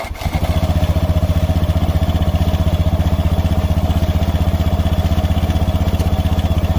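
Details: Honda Beat FI scooter after replacing the CVT slider pieces to cure side-case (belt drive) noise when decelerating: even, steady single-cylinder putter with no clatter or scraping; normal idle.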